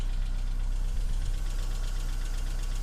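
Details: BMW E46 318i 118hp on cold start: fast, even ticking rattle over cold idle, sometimes stops, returns for a while after revving; solved by replacing the hydraulic lifters.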